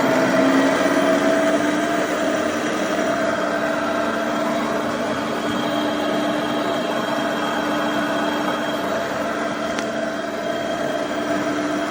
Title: Epic E60L Bad Motor Bearing